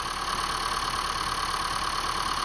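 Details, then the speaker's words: 2015 Honda Fit at 90k miles: steady warm idle with light, fast, even ticking on top, fewer ticks than before; normal fuel injector ticking, nothing wrong. "You hear that ticking? That's the injectors."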